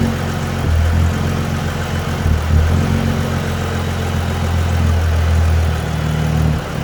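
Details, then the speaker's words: Dodge Journey alternator test, negative cable disconnected, recorded in front of the car, no throttle input: low idle hum drifting up and sagging every second or two; surging idle, cause not confirmed. "i'm out here in front of it the idle going up and down bad self [Music] that's like somebody hitting the gas ain't nobody hitting the gas"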